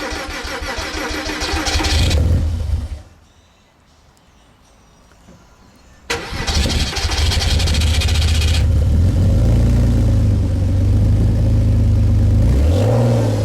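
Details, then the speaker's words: Porsche Boxster 986 after yearly DIY service (oil and filter, fuel filter, air filter, six new NGK plugs), cold wet day in pouring rain: cranks, briefly stalls, then catches and settles to steady idle with a quick rev; starts and runs cleanly. "There we go, running again after the service in the pouring rain. It sounded quite good when it started anyway."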